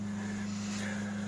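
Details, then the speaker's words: Flea-market PC whose CPU had gotten hot, now with the cooler firmly fitted: steady, even fan hum with constant low tone, no racing or surging; CPU fan speed normal, CPU being cooled. "Seems like the fan is not crazy now, so means it's getting cooled."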